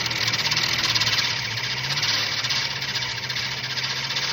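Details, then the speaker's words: 1965/66 Mustang 289 V8 after decades sitting, on an Edelbrock carburetor described as dead in the water. Surging, wavering beat two or three times a second, gasping for fuel; fuel starvation, no knocking or missing. "This carburetor's like dead in the water. But I'm just trying to see if some of this gas clean the needles up and stuff before I totally abandon this carburetor. It's still trying to pull fuel in."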